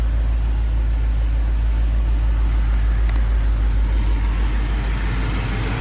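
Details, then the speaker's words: 1992 Chevrolet Silverado TBI after K&N cold air intake install: deep, even low rumble holding steady without misses or knocks, air sucking in audible; pulls cleanly, normal revving. "that's how she's looking right now she sound good look good I recommend this canon in 10 out of 10 you can hear the air sucking [Applause] in ah she sound beautiful man"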